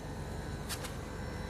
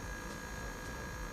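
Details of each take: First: J-Tech inverter air conditioner, outdoor unit; it had run without cooling, then cut out. After crimping and soldering suspect loose wire connections: steady compressor hum under an even fan whoosh with light clicks; compressor now runs normally and cools, with condensate draining. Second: J-Tech inverter air conditioner that runs but doesn't cool and cuts out, recorded at the outdoor condenser unit: with the compressor wired directly to power, a steady even hum, low drone and faint fixed tone as compressor and fan run, so the control board is suspect.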